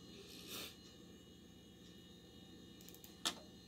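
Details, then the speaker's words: IBM 330 450 DX2 Windows 95 PC reading a 3.5-inch floppy disk to open a picture: a couple of short dry mechanical clicks as the drive seeks; normal, slow floppy access. "hear it clicking it's reading mechanically it's reading that uh floppy disk"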